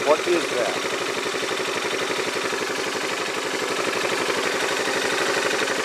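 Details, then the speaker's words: Yamaha Majesty scooter idling on the lift with the parking brake on: a fast, even metallic clatter over a steady idle. The owner suspects the CVT clutch and is unsure whether it is normal; cause unconfirmed. "doublet when I come down it's like metal-on-metal but that sounds like smelling metal-to-metal what does normal I don't know I don't that's normal or not but that's the noise I hear"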